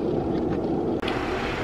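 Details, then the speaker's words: Bathroom exhaust fan after the dead motor was replaced with a new replacement motor that spins freely. An even, steady whoosh with a low constant hum, no rattle or scraping; it is exhausting air. Normal running after repair. "So I got the new motor, spins freely. And there we go. It is exhausting gases, so there you go."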